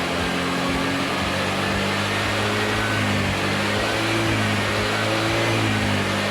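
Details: Honda Vario (old model) scooter engine idling after charging-system check, running on its own recharged battery with about 12.5 V standby: steady, even note with no misses or knocks; normal running.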